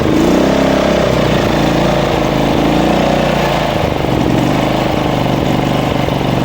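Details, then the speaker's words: Small lawn mower engine with RPM rising and falling every second or so, surging idle; large debris found blocking gasoline flow in the fuel intake, inline filter to be installed as fix. "So that's why your engine is slagging. your RPM going up and down, and you can't drive with it normally because it's look on this."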